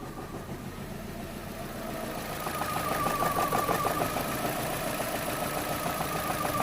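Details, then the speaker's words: 2010 Vauxhall/Opel Astra H 1.6 petrol, warming idle with fuel trim and P0011 timing codes: idle swells and sags, hunting/searching for revs without stalling; low compression from damaged cylinder walls. "yeah he's struggling not struggling to hold the revs but he's definitely searching"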